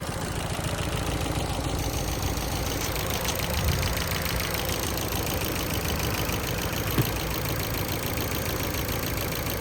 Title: Ford focus 2012 1.6 petrol ticking noise and vibration when idle, also got loss of power